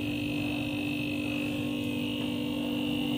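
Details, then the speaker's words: Refrigerator compressor that had not started (only clicking, fridge not cold) after fitting a good overload protector; steady even low hum with faint high tone, no clicking or rattle, running normally drawing 1.0–1.1 A. "ini dia akan berjalan dengan normal ampere 1,0"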